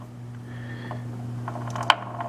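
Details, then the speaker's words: Heavily used Pacemaker lathe headstock, top covers off: steady motor hum with a sharp clunk near the end. Gear with a missing tooth knocks as it comes round. "so there you go folks here's the problem missing tooth um that is it"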